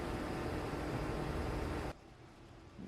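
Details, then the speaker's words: Lenovo Legion gaming PC running a demanding game at full load, GPU temperature capped at 80°C: steady airy fan rush with no rattle or scraping; normal fan noise under load. "so do you hear the coil whining at all and this is the speed at full load"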